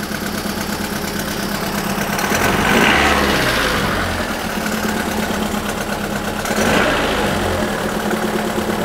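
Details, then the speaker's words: Renault Twingo petrol engine at idle, rough lumpy idle with regular stumble and shake, running on three cylinders; cylinder 4 low compression after valve clearance adjustment and valve stem seal replacement; coolant circuit test rules out head gasket. "le problème c'est le ralenti il y a un régime pourri elle tourne sur trois pattes il y a le cylindre ici le numéro 4 il a une mauvaise compression"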